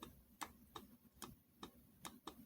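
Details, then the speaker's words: Jeep 4.0 engine rebuild, connecting rod rocked side to side by hand before the pistons are removed: light metallic clicks; side clearance measured with feeler gauges, worst about 0.013 in against the 0.010–0.018 in allowance, so normal. "i'm checking for the end play on the connecting rod arms and what they mean by that is right here that side to side movement one of these were worse than the other but you can hear it kind of clicking down there"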